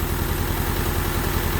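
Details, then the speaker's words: 1988 Honda Civic wagon after fixing a crank-no-start by swapping the intake temp sensor and idle air control valve wires: steady, even idle with a smooth low rumble and no misses; engine healthy, exhaust bad. "all right she's running pretty good it's actually pretty smooth [Music] the exhaust sucks really bad but she's running"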